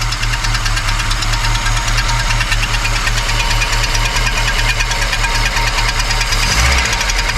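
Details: Volvo 245 DL abandoned for 19 years, running for the first time since 2005 on old fuel with brake cleaner: a loud, rough idle with an uneven knocking patter, about two beats per second, over a low drone. Cause unclear.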